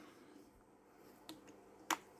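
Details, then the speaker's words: Rolex mainspring barrel lid pressed on after greasing the arbor, held close to the microphone: one crisp, sharp click in a quiet room as the lid snaps fully home; lid seated properly. "Now it's time to fit the lid. Line it up. So I'm just going to pick it up closer to the camera, and we want to hear a nice positive click."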